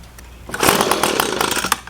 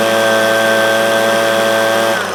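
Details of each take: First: Echo PB250LN handheld two-stroke blower, hot at operating temperature, full tank: revs harshly then stumbles and cuts out past half throttle; bogging when hot, cause unconfirmed, fixed later with tune-up kit. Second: Echo PB250LN handheld two-stroke blower, warm, after new air filter, fuel filter and spark plug to cure bogging at operating temperature: steady high-rev full-throttle buzz, brief dip then clean recovery; normal full-throttle run.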